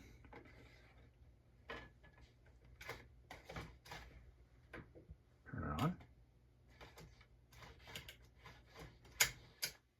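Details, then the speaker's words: 1990 Panasonic 1267 car stereo CD unit with a disc loaded, tested on the bench: scattered clicks and ticks, one brief motor whirr, disc never spins up or plays; possibly a bad laser, likely beyond saving. "No spinny, spinny. Play. Nothing. All right. No. Yeah, it's not doing it."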